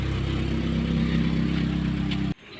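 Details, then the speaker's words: Chevrolet Optra/Lacetti/Forenza with the accessory belt removed: steady even idle, the loud noise gone; accessory belt tensioner pulley found with axial and radial play, blamed as the cause. "bueno como pudimos escuchar ya no suena el ruido fuerte que sonaba entonces"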